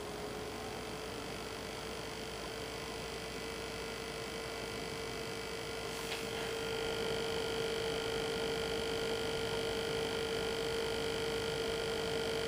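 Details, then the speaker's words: H220 AIO cooler pump spinning up as both fans are stopped by hand to simulate heat: steady high-pitched whine growing louder and sharper; tilting case for an air bubble gave no clear result; grinding/clicking pump noise. "But that grinding, clicking noise is pretty damn loud, and I tilted my case from side to side to see if I could get it, if it was an air bubble, just to dislodge it."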